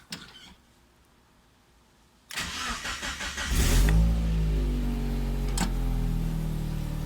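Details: Mazda Miata after installing a new DW200 fuel pump and priming it via the FP jumper: brief starter whir, then the engine catches at once, flares up and settles into a steady, even idle; healthy start.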